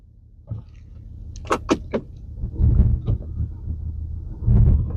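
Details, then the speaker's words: 2013 Audi A4 idling with heavy misfire after going into limp mode on highway, flashing engine light, codes P0300 and P0304; low uneven idle with thumps and shaking, cylinder 4 misfire, spark being tested. "Just looking at the Audi and it's developed a bit of a misfire. So,umpump thump thump. Don't know if you can hear that, but it's shaking like a mofo."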